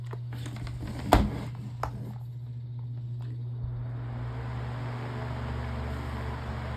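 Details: Black fan after damaged blade replaced, reassembled test run: steady low motor hum then smooth, even rush of air with no wobble or knocking; runs cleanly.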